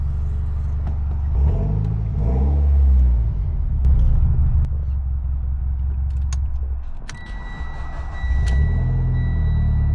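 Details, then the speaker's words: Mitsubishi Evo X, previously no-crank following key antenna replacement: engine catches promptly and settles into a steady low idle with light throttle blips; starts and runs normally. "All right. So, as you guys can see, the Evo is now starting and it obviously runs."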